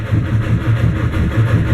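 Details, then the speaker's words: 1959 Mercedes-Benz 180D/190 diesel, new Bosch glow plugs, Optima battery, rebuilt starter: rhythmic cranking chug, four or five pulses a second, never fires; no start. Owner suspects flooded glow plugs from poured diesel or faulty glow plug wiring. "No detonation, no nothing. So, if you have an idea, let me know. I'm at a total loss as to what's wrong now."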